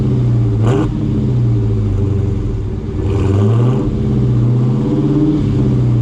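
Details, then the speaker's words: Dodge Hellcat V8 with the stock active exhaust valves deleted and held fully open by a dummy plug, no check engine light: deep, loud rumble that climbs in pitch with each throttle blip and drops back cleanly; healthy. "sound sounds good and like I said my main thing was I didn't want a check engine light"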